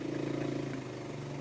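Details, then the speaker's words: 1985 Suzuki Quadrunner ATV after chain and chain tensioner repair: starts on the fourth pull, a quick even putter settling into a quieter steady idle without misses. Running well, normal idle. "4 pulls. I was closer, so I won the bet. Running quite well now."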